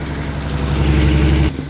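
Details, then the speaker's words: 1966 Mustang pulled from years of garage storage, first start after no-start, foot off the gas at idle: very loud, raspy low rumble with chuffing exhaust note that drops off sharply; big exhaust leak. "Oh, that is one big exhaust leak. Yes. Yes. Wow, that's loud."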